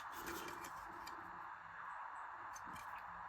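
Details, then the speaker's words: DC voltage-regulated PC case fan that failed with a bad smell: harsh raspy whir and faint irregular ticking; worn fan bearing. "Yeah, the bearings Well, you can hear that. That sounds really terrible."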